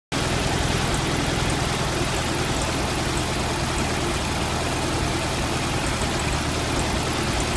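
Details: Stock 1971 VW Super Beetle, single-port 1600, idling: steady air-cooled beat with a faint uneven stumble, slight misfire that began after the distributor condenser came loose. Compression 100 psi all cylinders, new plugs; owner suspects spark, unconfirmed.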